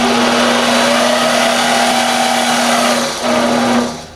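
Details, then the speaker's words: Mini lathe running on a replacement 90-volt DC treadmill motor with an XT timing belt, in forward with the spindle in low range, not cutting. A steady, even motor whine at constant pitch with no knocks or grinding: running fine. "And the spindle is in low and I'll show you what it looks like, But. Stand back. It works all right."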